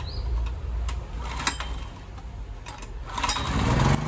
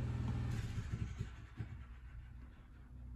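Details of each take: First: Honda EX1000 portable suitcase generator, running without its correct air filter, choke off, before an 800 W heater load: after handling knocks it settles to a steady, even low drumming with no misses or surging; healthy no-load running. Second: Honda EX1000 portable generator, choke off, with an 800 W resistive heater switched on. Low drone sags and lurches unevenly, stumbling under the load; breakers did not trip. Owner suspects the load is too much for the alternator.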